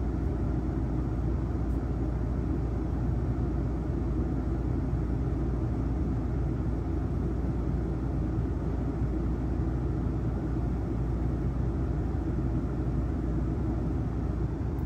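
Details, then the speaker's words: Coleman Mach standard RV rooftop AC without the silencer, compared against the unit fitted with one: a steady, even low hum with no knocks or rattles. It is not very loud but has a distinct pitch, and it runs normally. "Now this is the Coleman Mach standard, as you can hear it. Not that loud to me, but it is it's a certain pitch, I guess."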